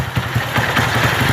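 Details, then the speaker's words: Motorcycle after engine rebuild, which had smoked heavily with a piston-skirt slap noise: quick, regular single-cylinder putter with clean, even beats under throttle, noise and smoke gone; normal running. "Dá uma acelerada aí, ó. Aí, parou o barulho. Parou."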